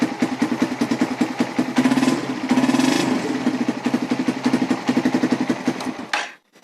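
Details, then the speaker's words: Suzuki Satria/Raider FI motorcycle, hidden anti-theft switch turned off again: quick start into a regular, even putter at idle with no knocks or stumbles, then shuts off; normal start and idle. "Oke, jadi cukup aman ya. Nah, kita off lagi. Kita starter."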